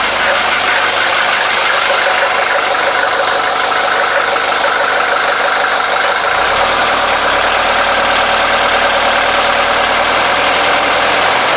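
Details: 1983 Mercedes 240D diesel after throttle linkage link reinstalled correctly and lubricated: steady, even diesel clatter holding a constant idle with no misses or surging; normal idle, later test drive showed roughly 40–50% more power.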